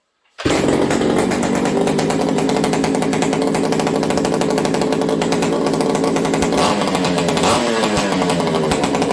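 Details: Ported XL 922 Super chainsaw, a two-stroke, after warm-up with throttle blips. Steady, clean high-revving buzz with a couple of smooth blips near the end; running normally.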